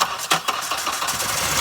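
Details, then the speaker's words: JDM Honda CR-V sat a year, after cycling key to build fuel pressure and reconnecting something not hooked up: a few quick cranking beats, then catches into steady busy idle: engine cranks and starts. "there we [Music] go we are in business"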